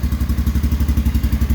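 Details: Polaris Sportsman AWD (2001) running properly again after replacing a stator destroyed by magnets that fell off the flywheel with a used stator: single-cylinder thumping about ten beats a second, even and steady without misses.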